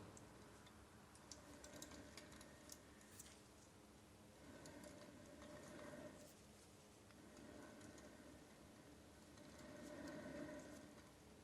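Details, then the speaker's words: Suzuki Samurai front knuckle rebuild: the main wheel bearing is turned slowly by hand and gives quiet, uneven ticks and knocks from loose rollers where it should be silent; the bearing is completely worn out. "this is how you know that your bearing is completely shot this should be silent and if you listen closely enough come closer when i turn it slowly you can see the wheels wheels the rollers knocking around"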